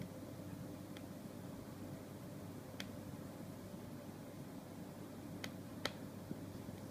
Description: Popping/clicking sound after around 7 mins when connected to Windows 7 desktop on HDMI.